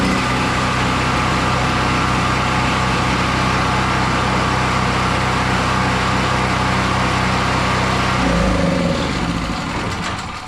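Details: Pull-start small engine, choked and restarted after carburetor cleaning (owner suspected a stuck float): runs steadily at an even, fast beat for about eight seconds, then the note shifts and fades; sounds healthy, normal running.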